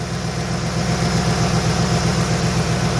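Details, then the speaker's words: 2006 Ford Expedition 5.4L first start after timing chain, spark plugs, camshaft and broken lifter replacement: steady, even low idle rumble, no ticking or knocking, no more creaking; oil pressure good. "Sounds good. So listening, the exhaust is very fucked up. Really was fucked up. Okay, no more creaking noise."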